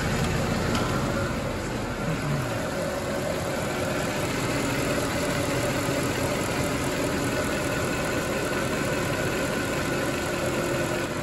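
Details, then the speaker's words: Mercedes ML63 AMG, M156 V8 (~500 hp), just after topping up oil: steady, even idle, smooth low hum, no top-end ticking; earlier lifter noise attributed to low oil and gone immediately. "all right i can almost guarantee that that lifter noise we were getting was because the oil was low we went away immediately right now nice and smooth"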